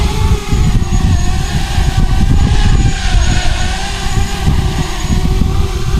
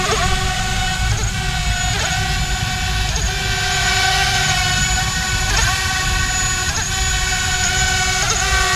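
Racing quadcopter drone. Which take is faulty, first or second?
second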